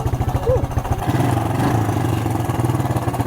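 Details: Suzuki LT-F160 QuadRunner, bought used and abused, running without an air filter: single-cylinder thump at steady idle, firm even pulses, no rattle or miss; sounds good.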